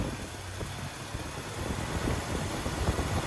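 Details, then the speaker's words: 1998 Toyota Tacoma at idle, briefly revved, right after replacing the alternator, A/C and power steering drive belts and idler pulleys: the idle is even and low, with no chirp or squeal, so the new belts run quiet. "i didn't hear any belts squealing so it's good"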